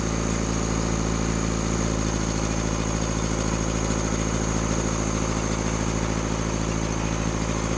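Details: Rebuilt Cummins diesel in a Case 1840 skid steer running steady at raised speed, throttle propped. A slightly uneven, loping beat indicates a misfire. In the balance test, loosening cylinders 1 and 2 changed little but reduced smoke; those injectors are to be pulled.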